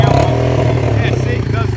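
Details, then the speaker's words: Yamaha Breeze 125 quad, first run in 5 years after carb cleaning: blipped and released, revs hang high and fall slowly; owner suspects idle screw set before engine warmed up, carb needs tuning warm. "So as you guys just saw, it does rev out more like than it should when you let off the gas."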